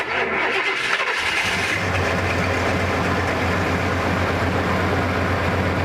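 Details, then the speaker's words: 1979 Ford Bronco original engine, untouched 30 years, running on a rigged ignition: catches after short crank, settles into steady idle rumble with no knocking; old and may stall, possibly running out of gas. "Motor's good though. I mean, it's old and will probably stall, but it's good. At least it's not knocking"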